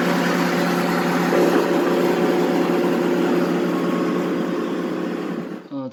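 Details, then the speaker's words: Belt-driven blower fan with a failing bearing: an even, continuous, dull low drone like a car engine bay, unchanged over the run, as the bearing progressively wears out. "저거는 지금 이제 둔탁하게 자동차 엔진 룸처럼 들리는 건 베아링이 나가고 있는 상황이에요"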